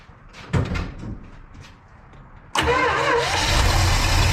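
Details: 1979 Dodge D100 with rebuilt Edelbrock 1406 carb and replaced choke, cold start on a borrowed Jeep battery: quiet clicks, brief crank, catches and settles into a steady, even fast idle with no misses while warming up.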